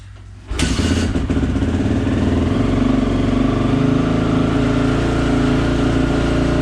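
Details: 2004 Honda CRF450R, rebuilt from the crankshaft up, started in the shop with the air filter still out: catches almost instantly and settles into a steady, even single-cylinder idle with no knocks, rattles or misses; healthy.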